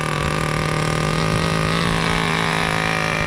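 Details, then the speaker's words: 2002 Tamiya Terra Crusher 1/8 nitro monster truck, throttle raised slightly after start: high-pitched buzzing engine holds steady clean note, no misfire or stumble; transmission slippage noted separately. "Look how great it starts. Amazing. Gotta raise the throttle a little. All right. Perfect startup."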